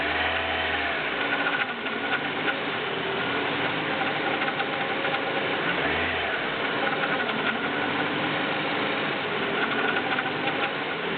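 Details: BMW E36 318is M44B19 engine on cold start with a fine metallic ticking and a hum rising and falling as rpm hunts between 1000 and 1500 at idle; source unclear.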